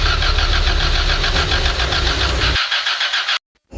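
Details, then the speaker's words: Don pips' car won't start: rhythmic starter cranking at about three and a half per second that never catches, then cuts off. It cranks but won't fire. "ayaw pong umandar ng sasakyan ni Don pips may lakad po sana kami kaso hindi natuloy"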